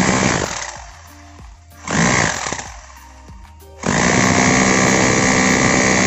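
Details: Bosch GBH 2-26 DRE SDS rotary hammer, repaired for lacking impact power, in its test: short bursts, then from about four seconds a loud, sustained, even hammering into concrete. The impact sounds strong and healthy.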